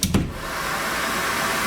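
After a brief click, the vacuum settles into a steady, even whoosh with no cutting in and out; running normally.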